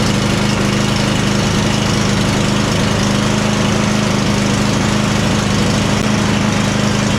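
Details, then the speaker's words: John Deere Z345E zero-turn, Briggs & Stratton V-twin ReadyStart, after repair (overlong bolts had rubbed flywheel): steady drone, slightly uneven beat; starts at all speeds and choke now works, but not 100%, probably carburetor or fuel related. "The choke's now working like it should at least. It doesn't sound like it's running 100% perfect on this, but it's probably a carburetor or fuel related issue."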